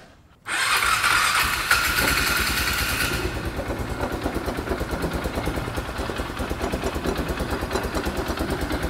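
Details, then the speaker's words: Polaris Ranger side-by-side after draining water from the pipe, oil checked and not watery; fires into an uneven, throbbing idle with a wet rushing wash; the noise echoes from the intake pipe, water being pumped in, not the exhaust. "I still hear the water and now I know why this noise that I was hearing that was so loud it's not from the exhaust it's echoing out of this that water's in that pipe it was never in the exhaust we're pumping it in"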